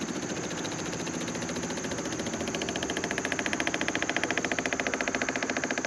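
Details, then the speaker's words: 1979 Jeep CJ7 off road 30+ years, engine not running: steady rapid ticking about three and a half clicks a second as add-on auxiliary fuel pump fills carburetor bowl; normal. "get gas over there oh it's pumping see if I can hear it slow"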